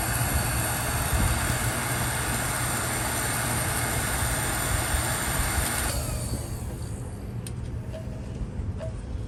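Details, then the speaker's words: Vintage Raychem Thermogun Model 750 heat gun, about 25 years in use, after rewiring its crumbling cord and straightening crooked fan blades suspected of an earlier noise: even fan rush for about six seconds, then drops away at shutoff; running normally. "so I kind of bent them back into shape and that might be the ca that may have been the cause of that sound that we had but we are ready to go back into service for"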